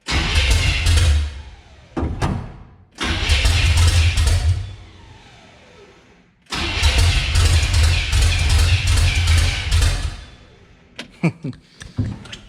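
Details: Revived Chevy 350 V8 in a C10, first start in six years, good fuel pressure: repeated cranking bursts of a few seconds each, almost catching but not staying lit; ignition timing is off and being advanced.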